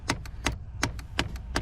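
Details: Nissan/Infiniti climate control, heard from the dash area when AC settings are changed: sharp, evenly spaced clicks about every third of a second over a quiet background. The blend door actuator is skipping its gears; fixed by replacing the actuator.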